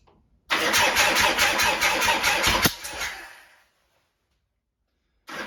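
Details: 1972 Harley-Davidson Sportster, first cold start after sitting 32 years: the engine catches and roars at a high, busy idle, then cuts out. The throttle cable was hung up inside its sleeve, causing the high idle.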